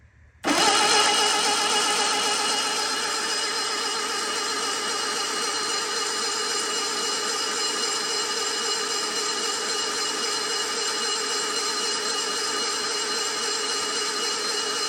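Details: Sunbeam Alpine engine, cranked with a solenoid ground jumper to build oil pressure: steady, even starter whirr without catching and no clicks; strong cranking that reached 45 psi oil pressure.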